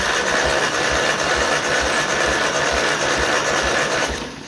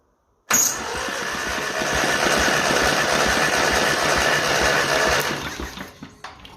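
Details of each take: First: 1955 Ferguson TE20 TED TVO tractor engine, cranked for a compression test on cylinder four. Even cranking about three beats a second with no stumble. It reads 100; three cylinders read 100 and one 83 dry/90 wet, within 10%. Healthy. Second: 1955 Ferguson TE20 TED TVO tractor engine, plugs out, cranked for a compression test on cylinder three. Even cranking about three and a half beats a second. It reads about 83, slightly low but still good.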